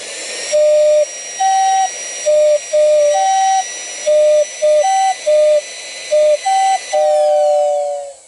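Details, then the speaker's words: Lionel pre-war 48W whistling station, tested out of its station before reassembly: clean steady two-tone whistle, higher and lower notes, in short even blasts and one long blow with crisp starts and stops; whistle working properly. "into it you could hear the two tones higher and lower of course"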